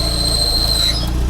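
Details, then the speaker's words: Car with 112,000 km at idle in gear: a thin, steady high-pitched squeal appears as the clutch pedal is pressed and shifts pitch near the end. It is silent with the clutch released; a throwout bearing is suspected. "вот и в начале просто был шум А сейчас засвистел уже сцепление Ну по ходу дела выжимной подшипник"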